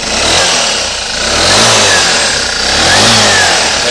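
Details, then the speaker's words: Suzuki Burgman 125 (AN125, 2007–2009) engine with 15 kg compression, variator and clutch removed, test run: clean repeated revs, no knocking or rattle, no white smoke; normal revving. "se ve que suena bien de vuelta funciona correctamente"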